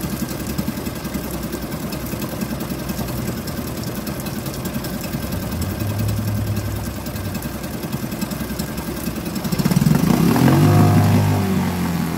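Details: Suzuki DF2.5 2.5 HP outboard, long stored and not starting, after fuel tap and tank vent opened: catches and settles into a quick, even putter with no misses, idling cleanly.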